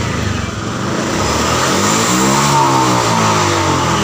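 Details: Honda Vario FI scooter revved high, running rough, pulsing about four times a second like fuel starving (brebet) at high rpm; traced to the TPS throttle position sensor.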